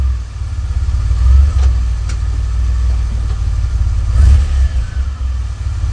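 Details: DeLorean DMC-12, 5-speed, stock engine, revved at idle: low drone with a loose tinny rattle from the engine compartment or underneath as revs climb, also when accelerating while driving, for a few months; someone suggested the muffler bracket, unconfirmed.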